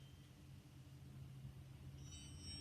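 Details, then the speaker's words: Unitron hearing aid with battery inserted, held in the hand: after about two seconds a thin steady high squeal over low rumble, normal feedback between receiver under the dome and microphones. "that squeak that is normal if you're a little bit of a squeak gets the sound coming out from the receiver which is this end underneath the dome it's a speaker and it goes to the microphones which are in here and when the two interact it makes a whistle"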